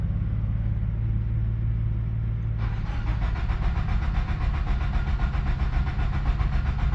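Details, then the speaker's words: 1997 Nissan 200SX (B14) that sat about 10 years, cranking on a fresh battery connection: a low rumble turns into a slow, uneven churn that never catches. It has spark, but the failed fuel pump supplies no fuel, so it won't start. "no way that's sick dude oh my God this thing actually turns over now"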